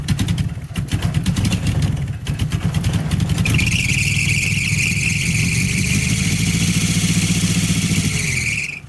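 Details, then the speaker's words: Abandoned '84 Nissan/Datsun 720 Z24 four-cylinder, first start after decades sitting, fuel line just reconnected: steady high squeal over rough idle once it catches, cutting out as engine dies; a belt is slipping, which one unknown. "I don't know which belt is slipping. Definitely a belt slipping though."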